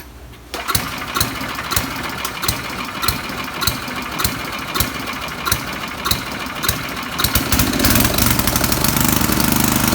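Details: Coleman Powermate 4000 W generator, Tecumseh 8 hp flathead, after aftermarket carburetor replacement fixing running problem: slow cranking about three pulls a second, then catches and runs even and steady; normal running.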